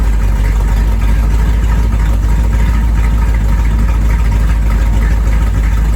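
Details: 1973 Corvette small-block V8, first time running and driving in five years: deep, steady rumble with an even lope and no knocks or ticks; healthy idle.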